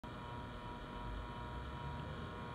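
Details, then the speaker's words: Laptop fan with a steady whine near 1 kHz over a rough low rumble, heard while the laptop runs; the fan bearing is noisy and is repaired by disassembly and cleaning rather than replaced. "السلام عليكم شباب تسمعون هذا الصوت اللي جاي يصدر من الفان هذا الصوت طالع من الفان ها اللابتوب والفان ب مشكله"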